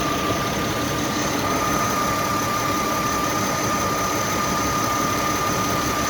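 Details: Mercedes W220 M112 E32 engine, 372,900 km, after replacing alternator bearings and leaking water pump that had play: even, steady idle with a smooth consistent hum, earlier under-hood knock gone; normal idle.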